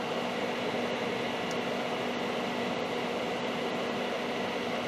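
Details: Data East DECO Cassette System arcade power supply on the bench at power-up: constant airy whoosh with faint steady hum, no ticking, rubbing or scraping; slow to power up, fan spins normally.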